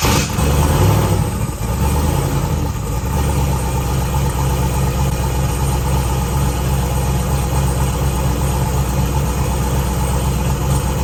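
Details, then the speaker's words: Z2H8 Camaro V8 with ported heads, start after a coolant pressure repair (suspected gasket), fuel, oil and water filled, no fuel leaks: strong burst on firing, then a deep, steady, even idle with no ticking or knocking; normal start and idle. "go ahead and heat the starter see how it sounds make sure it sounds good fuel to it see if it runs"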